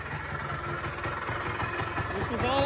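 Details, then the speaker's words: Polaris Trail Boss 250 4x4 ATV rescued from the scrap yard, after work and idle screw turned up; even, quick popping at a settled idle with no misses or surging; idles cleanly. "All righty, guys. As you can hear, she's alive. She idles."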